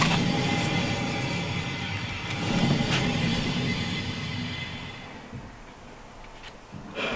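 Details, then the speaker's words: Renault Trafic van being repaired after inspection failure (brakes, bearings): hand-spun wheel gives dull gritty rumble fading as it slows, bearing noise also heard turning left; worn wheel bearing suspected, being replaced with SKF VKBA 830. "où on a un bruit sourd et j'entends que quand je tourne à gauche j'ai un bruit de roulement donc je change ce roulement là aussi"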